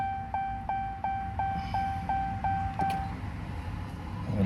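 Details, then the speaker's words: Ram 2500 6.7L Cummins diesel after oil and fuel filter change (CAT filter conversion): key on, engine off, steady ticking about three per second with faint whirr as the lift pump primes the fuel filters normally. "So, now we need to prime the fuel filters and get the fuel line uh primed back up to the pump again. So, we go to run without starting the vehicle. Listen for that fuel pump."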